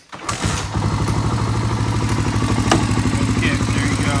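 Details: 1985 Honda ATC 350X single-cylinder, engine hot, after fitting a 400EX carburetor: one kick, catches at once and settles into a steady even idle; normal clean hot start.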